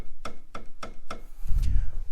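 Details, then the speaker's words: Aftermarket intake tube knocks against the brake line when the engine lugs and vibrates, mostly in first gear after releasing the clutch too quickly: four sharp light taps a third of a second apart over a low rumble; owner wonders about worn engine mounts. "I noticed that there's some knocking sound and I found out that is actually my intake so I noticed that when the engine vibrates this thing kind of vibrates as well and would hit the brake line making this sound"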